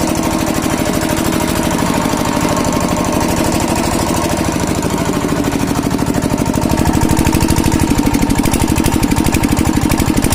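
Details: Kirloskar single-cylinder diesel after diesel filter replacement for a starting problem: steady, evenly spaced thumps of about three a second at constant loudness; normal running.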